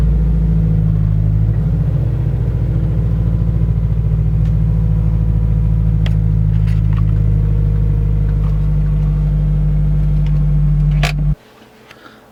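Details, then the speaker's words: Subaru BRZ/Scion FR-S/Toyota GT86 test drive after transmission removal and throwout bearing replacement: steady low engine drone pulling away and cruising, with no throwout bearing whir or chirp left. Normal driving. "guys so we finished installing everything I drove the car everything works fine it doesn't make the throw out bearing noise anymore so the car is good"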